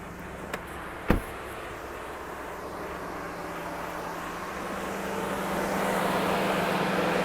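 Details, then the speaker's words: 2016 Ford F-150 XL 4x4, under-hood check: steady even idle with faint constant hum, no knocks or ticks; motor running as it should, normal idle. "As you can hear, the motor's running as it should, no unusual noises."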